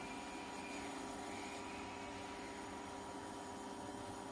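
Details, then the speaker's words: Ferroli double induction cooktop under repair for breaker tripping and overheating, tested at power level 9 with a temperature sensor fitted; cooling fan runs louder than before with a steady whoosh and faint hum, no rattle; normal cooling fan running. "độ này đấy các bạn nghe tiếng quạt nó nó nó nó chạy to hơn lúc trước"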